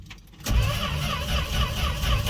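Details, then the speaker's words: 1968 Fargo/Dodge D100, no choke, sat 24 hours on a cold snowy night: starter turns slowly and unevenly in a labored churn without catching; owner suspects weak battery and plans to jump it. "come on oh i don't think that battery has enough for us i left the booster pack out overnight so the cold obviously killed it"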